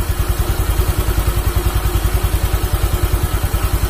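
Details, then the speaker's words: Automatic scooter rebuilt after running out of oil, radiator coolant refilled: even, regular low putter with no rattles or misfires; smooth normal idle. "dan motor Alhamdulillah nggak ada trouble dan sudah halus untuk mesinnya"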